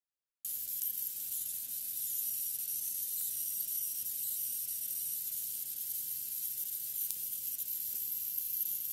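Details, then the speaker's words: Jingsha/Huanan X79-P3 Chinese motherboard: thin, very high-pitched ringing squeal over faint hiss. VRM chokes whine as CPU frequency jumps and load appears. "Вот этот писк, звон дросселей, писк, ну, это не важно. Происходит в зоне ВРМ от скачков, так скажем, частоты процессора. То есть появляется нагрузка, появляется вот этот звук."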